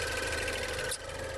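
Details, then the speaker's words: 2016 Range Rover Evoque at idle during a pre-purchase inspection, hood open: light, quick ticking over a quiet, steady idle; possibly normal like four-cylinder Mercedes, but unconfirmed, with no smoke or leaks seen. Ticking at idle. "and mercedes with the four surrenders with this kind of ticking noise which apparently might be normal"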